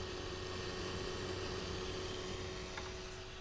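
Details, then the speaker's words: eMachines T1090 desktop (Intel Celeron Coppermine 900 MHz), camera right up to the CPU fan: steady piercing high-pitched whine over constant airy rush; CPU fan loud enough that the owner stopped using it as a server, likely worn. "I mean, it was to the point where I had to stop using this computer as a server because I couldn't sleep at night. It's just such it's such a high pitch, and I don't know, it just got on my nerves."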